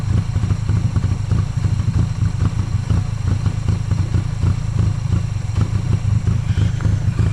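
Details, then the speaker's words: 1995 Honda Acty carbureted engine, jump-started in 27°F cold after sitting 2–3 weeks: lumpy, uneven idle with irregular low thumps and misses about three a second, heavy white smoke, fuel pouring from the air filter; owner suspects a stuck carburetor float. "Uh when it did start, it idled rough as hell and there's a lot a lot a lot of white smoke and there's a bunch of gas pouring out. Like the carburetor float is stuck."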